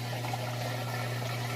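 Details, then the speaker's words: LG direct-drive top-load washer with TrueBalance and a heavy load of towels and jeans, first rinse: steady drum hum with water rushing out as it spins while draining; drain and spin working normally. "sounds like it's doing a real good job the drain works perfectly I like to see that sometimes they don't spin they'll just sit there and drain drain drain and then start to spend"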